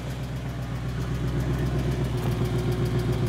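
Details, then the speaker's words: 2008 BMW E92 M3 4.0-liter V8, 48,000 miles, sat three years, owner suspects a bad engine; jump-started; lumpy idle stumbling three to four times a second, suspected miss, timing seemed off while cranking; a little exhaust smoke. "Oh, it sounds so bad. Right now, I'd say the timing sounds like it's off when it's cranking, but it runs pretty smooth. No. It's got a miss or something going on there."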